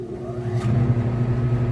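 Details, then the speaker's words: Mastercool mobile evaporative swamp cooler after fan speed switch replacement, tested with the pump off on low speed: low, steady hum with a soft whir that holds even, the fan working normally. "So you can hear it's on the low speed."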